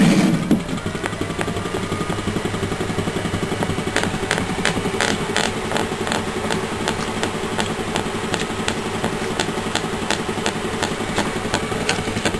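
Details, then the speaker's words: Hand-spun spiral magnet rotor, four arms with 7/8x7/8 N52 neodymium cylinders in repel mode on a Bedini coil circuit: sharp clicks about three a second, spacing out as it coasts; something possibly loose underneath, unconfirmed. "like that guy might be loose under there so I still got a lot more work to do"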